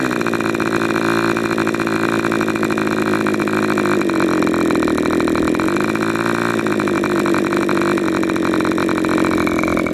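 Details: Rebuilt K&B 40 #4011 glow engine (new bearings, ring, gaskets, hand-honed cylinder), not yet broken in, on 10% Coolpower plus 4% castor with a 10x6 prop, peaking near 12,800 rpm, exhaust leaking at the muffler: high steady buzzing scream, no misses; runs clean.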